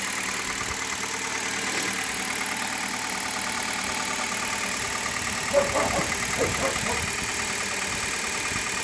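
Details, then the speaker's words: Hyundai Solaris fully cold start on a May morning, after about 1000 km on green 5W30 oil (owner says noises dropped): steady, even cold idle with no knock or tick heard. Healthy. "давайте запустим ся эти мотор абсолютно холодной это видно и по датчику температуры по оборотам"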